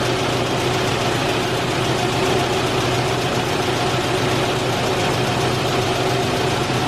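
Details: 1989 Isuzu Trooper after replacing its seized idle air control valve, which had left it unable to idle cold: smooth, even idle holding speed with no hunting or surging, now running normally.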